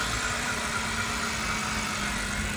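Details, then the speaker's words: 2008 BMW X3 previously cranking with no start starts and idles quietly and steadily with a faint hiss; a blown fuse then shuts it down when driven, and a timing variable solenoid code is being checked. "So we start it now. See, the car start. It start."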